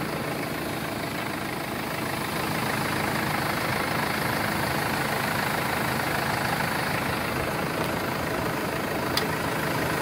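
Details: 2016 Mercedes Sprinter 316 diesel, 163 hp, L2H2 van, idling on a cold 6 °C day: steady, even idle holding revs, smooth regular beat, no knocks, misses or whine; normal healthy idle.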